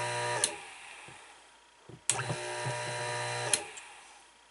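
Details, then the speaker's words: Dishwasher motor that previously hummed without turning, bench-tested with a homemade test wire and its capacitor connected: clicks on and runs with a steady, even hum, then cuts off; motor confirmed good. "so you need that capacitor on there to get that running so the motor here is good"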